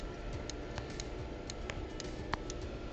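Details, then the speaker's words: Samsung UN65JS9500F 65" QLED TV that won't turn on, back off, all four fuses tested good, plugged in and switched on; faint sharp irregular clicks over quiet hum, thought to come from a part on the power supply; cause unconfirmed. "I'm actually hearing an audible click and I don't know if you can hear it I believe it is coming from that"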